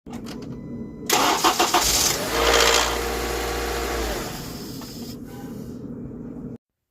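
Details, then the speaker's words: A 2011 Honda Accord 2.4 four-cylinder cranks, catches and rattles harshly for a couple of seconds on cold start before settling into idle; the rattle, often mistaken for the timing chain tensioner, is attributed to a worn cam phaser. "good afternoon and so that noise you just heard was this Honda on a startup you hear that like that rattle noise um that noise is often mistaken as a time and chain tensioner"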